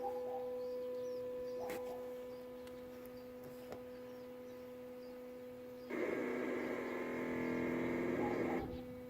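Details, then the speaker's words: Schrack tankless water heater, after service and flushing, gas and power turned back on: steady hum with faint ticks, then a burst of chirping, modem-like tones lasting a few seconds as the unit readies to fire; a normal startup. "so basically that's the unit getting turned on they'll hit a little sounds like a 56k modem going around there anyways that's the unit getting ready to fire and to work"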